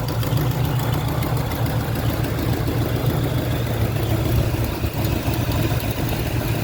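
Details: 1972 Chevrolet Nova SS clone, built 355 crate V8 with about 3,000–4,000 miles, under the hood at idle: deep, steady V8 idle with faint quick ticking; exhaust header gasket leak, new gaskets included.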